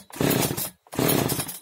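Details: Oleo-Mac 947 chainsaw, which started but stalled without choke, after fixing an air leak at the fuel line and readjusting idle and high mixture: two crisp throttle blips, picks up cleanly and drops back without stumble; runs healthy.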